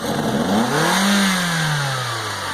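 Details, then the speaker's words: Engine revved during a fuel pressure dynamic test, gauge on the fuel rail access port: pulls up cleanly in one smooth rev, holds, then eases back without stumble while fuel pressure fluctuates slightly higher, then drops on deceleration. "the next one is the dynamic test is basically just to check where your fuel system is when you put a load on it so hitting the accelerator I go ahead and rev it up"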